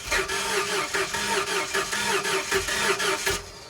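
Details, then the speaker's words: 1977 school bus with big block Ford swap, new PCM installed: starter cranks with even chug about four beats a second, fuel pressure present, but never fires. "the motor would turn over and I had fuel pressure but I still couldn't get it to start"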